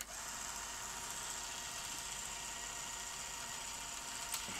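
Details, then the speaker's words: Sony Betamax SL-T30ME multistandard front-loader: thin steady motor whir as eject/lace-up stalls; tape loads but lace-up fails to complete reliably, making strange noise; lack of torque in the clutch mechanism driving the loading carriage and lacing rings via planetary gears. "look give it a push okay so there's a lack of torque in this clutch mechanism"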